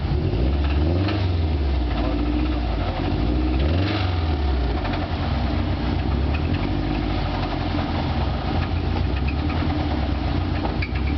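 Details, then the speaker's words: Subaru after hard donuts runs roughly with a deep, rapid rod knock that gets faster with each throttle blip; the engine is dead and was later rebuilt with forged internals. "Not good. That's rod knock. She's dead."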